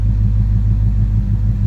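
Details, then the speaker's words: Ford Coyote V8 after the cam phaser reassembly that fixed a timing chain chirp and rattle: a steady, smooth burble at a calm 750 rpm warm-up idle, coolant 189, oil 29 psi. No chirp or rattle, noisier before the fix. Normal idle. "Motors pretty much making normal noises we're at a pretty calm 750 idle"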